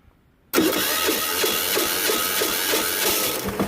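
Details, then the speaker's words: Yanmar 186F-clone 10 hp diesel, salvaged from a generator and stored one to two years, cold-started at full fuel using the compression release and electric starter; it fires straight off into a hard, even, rapid clatter at wide open throttle. "I've got the fuel all the way on so this thing's gonna crank up it's gonna go wide open"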